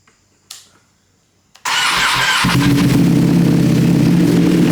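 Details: Rebuilt wrecked 2021 Ducati Panigale V2 twin, fired up again after rebuild with fairings still off: starter whirrs briefly, engine fires cleanly and settles into a strong, even idle with a steady beat and no odd noises. Normal start and idle.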